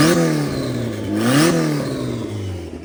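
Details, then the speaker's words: Honda Civic 4-door sleeper with freshly installed B18 engine and turbo, first start on stock injectors and stock ECU with new distributor; engine catches, revs up, then settles to a steady even idle with no knocks or misses; healthy. "distributor is in it fires up it runs good"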